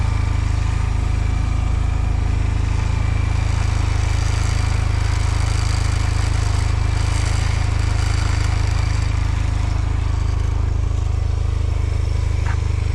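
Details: 2005 Honda Silver Wing scooter, first start after sitting neglected (moss-covered), oil and coolant checked; oil and ABS lights on at start; steady, even low putter with no knocks or misses, smooth idle. Normal idle.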